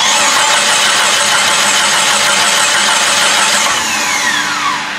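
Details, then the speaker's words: Jeep Grand Cherokee refreshed 4.0 with a cheap eBay turbo, first start: steady fast cranking, about four per second, never catches. Fuel pump runs and the coil is probably good; owner thinks it is out of gas. Crank no start, fuel starvation. "I think it's out of gas. Fuel pump goes. No gas."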